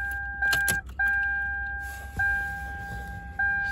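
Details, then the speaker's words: Lexus LS400 power tilt steering column, cover removed: short bursts of electric motor whine with clicks and grinding as the tilt gear is misaligned, pulling out of mesh going up; weak, worn motor; spacer to be added behind gear. "see see when you go up it's pulling the gear out so it's activating and when you go down it's pushing it and it's sliding in and it's being an issue"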